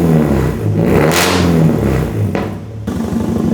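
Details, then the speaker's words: Nissan 240SX with the owner's engine, headers into straight pipe, warming up to temperature: very loud raspy revs rising and falling, rough puffing at idle from an exhaust leak at a shot gasket. "We do have a little, it's just an exhaust leak, like that gasket right there is shot, but I really don't care about that."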